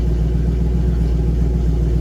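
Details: 1955 Ford F100 with a carbureted 302 V8, after sitting all winter, after electrical work on a stalling fault (key switch still suspect): deep, steady idle burble with no stumbles. Normal idle.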